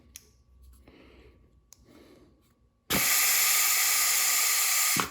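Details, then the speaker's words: Ford Mustang transmission rebuild, forward clutch drum air-tested with compressed air (third passage) after reseating: strong steady hiss, still far too much air escaping; part in the drum not seated, seals to be checked. "still sounds like a lot of leakage so that was part of our problem but it sounds like there's too much so we'll take it back apart and take a look at the seals"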